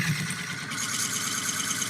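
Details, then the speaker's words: Woodturning an oak burl bowl on a lathe: the scraping hiss turns higher, thinner and more chattery as the tool moves off the supported bottom onto the thin, unsupported side wall. "Completely different. It's also the difference between supported wood. In other words, this has the wood supporting underneath it. Out here, there's nothing supporting this."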